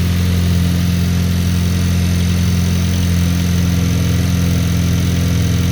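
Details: Cold start idle of a 2023 VW DLB engine, rebuilt at 23k km, after an oil and filter change, with the air conditioning switched off. Smooth, even low idle with a steady beat of about three and a half pulses a second and no knocks or ticks; healthy.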